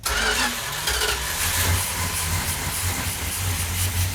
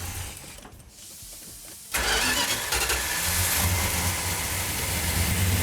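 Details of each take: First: Cold 1972 Dodge Duster 340 V8 at first start with choke held: runs loud and uneven with a lumpy, stumbling beat and no clean rhythm; the ignition timing is too retarded and needs advancing. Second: 1972 Plymouth Duster 340 build, started with no primer fuel: quick fire, then a strong, even, throaty V8 idle with the choke held. Normal start and healthy idle.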